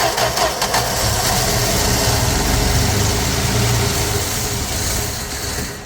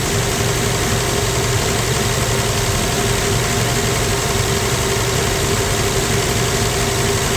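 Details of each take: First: 1965 Plymouth Valiant 100, slant six, 3-speed, first start in years: catches and runs a few seconds with an uneven, lumpy beat, then dies; owner suspects fuel not coming through the pump or choke flooding it, unconfirmed. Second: 1965 Plymouth Valiant 100 slant six, first start in years: even, steady idle with smooth low hum, no misses or knocks; idling nice, slight smoke noted afterward, normal idle.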